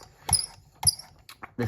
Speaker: squealing noise I know it's terribly annoying but that's how you know that it's almost so so